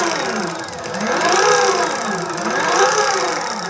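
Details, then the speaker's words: SYL-08 two-wheel-drive electric mountainboard, belt-driven motors winding up and down with rough whirring and rubbing. The belts are probably misaligned on both sides because one motor mount arrived bent. "on both sides the belts are probably a bit misaligned. And the main thing that I see here is that I received a board which has the motor mounts actually a bit bent."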